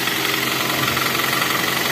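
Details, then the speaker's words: Avanza/Xenia with long cranking and hard starting, no DTC, earlier overheated head: fast, even metallic ticking at idle; suspected compression leak past pistons and rings from hardened oil deposits, not yet confirmed. "biasa gak bisa karena dia mengalami kebocoran kompresi di bagian tengah atau pistonnya"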